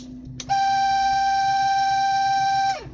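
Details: VAZ Zhiguli classic in hard frost, cold car just started: heater blower gives a loud steady high whistle for about two seconds, dropping in pitch as it stops; suspected shaft/bushing expansion mismatch in cold, expected to fade once warm.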